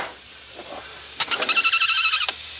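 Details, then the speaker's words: 2001 Camry engine swapped into a 1994 Camry wagon demolition derby car, on a start attempt with fuel pump on and in park: a sharp fluttering hiss of pressurised fuel spraying, with almost no engine note, from a fuel leak. "oh God oh God oh God that's a fuel league boys and girls that's uh"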